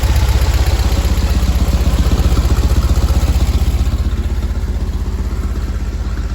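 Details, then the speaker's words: 1970 VW bus flat-four with dual 34 carbs, after the idle set screws were adjusted so both carbs read the first line on a newly acquired sync gauge: steady, even low thump with clean, regular firing. Carbs synced; idle sounds good. "according to this one which we've never used those are sinks and the idle sounds pretty good"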